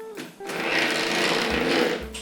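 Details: Small motor of a Tri-ang Hornby model locomotive giving a harsh buzzing chatter that rises then settles; armature play in its original bearing is possibly the cause.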